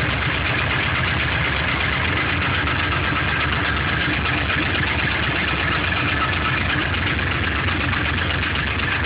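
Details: LS1 aluminum V8 (C5 Corvette block, truck accessories) cold start on 10W-30 conventional oil: steady cold idle with light rapid knocking in engine clatter; owner suspects piston slap; runs strong, no leaks or smoke.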